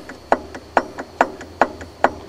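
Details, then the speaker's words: 1995 Ford F-250 4x4, engine off, power steering pump pulley rocked by hand: sharp dry clicks about twice a second from noticeable lateral play, suspected worn bearing; fluid was flushed and a filter added the day before. "here's your power steering pump I just did this yesterday and that's got quite a bit of lateral play in there"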